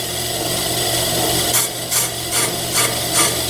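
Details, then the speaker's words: ACCU-TURN brake lathe model 8994 resurfacing a brake rotor, first scratch cut: steady machine hum, then rhythmic scraping about every 0.4 s as each knife is brought slowly to the spinning rotor until it touches; normal cutting tool contact. "I will start the lathe and I will bring each of those knives slowly towards to the rotor until it starts hitting it. It just happened."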